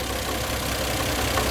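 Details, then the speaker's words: Toyota JZX100 Chaser at idle with a light, uneven, intermittent knock. It goes away when revved and returns when the throttle is released, and it remained after the repair work. Source unknown. Engine knock at idle. "and it doesn't go up with rpm it goes away but as soon as you let go it slows down it starts again"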